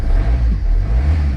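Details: 2003 Citroen C3 1.4 HDi diesel just after starting: an even rumble after a quick blip with no chuffing. It sounds like a healthy idle; injector seals are judged not leaking.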